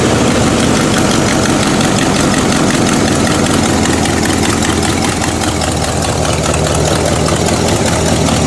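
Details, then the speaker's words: Old V8 Buick after new distributor cap, rotor and plug wires: held just off idle, steady even hum without stumble or hunting, smoother than idle; running normally. "but you know, if I rev it a little bit, it smooths out. Right here, it's absolutely stationary."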